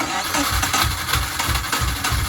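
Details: Subaru GC8 with EJ207 STi shortblock, first start after injector install: rough, lumpy idle with heavy uneven dum-dum pulse and missing beats; half the boxer never fires.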